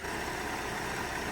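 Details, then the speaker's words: Flood-damaged 2007 Cadillac CTS, about 50,000 miles: smooth even idle and revs, no groan or whine from the previously submerged alternator, exhaust flowing well; normal idle. "It revs up smooth. I mean, this thing is running smooth as silk."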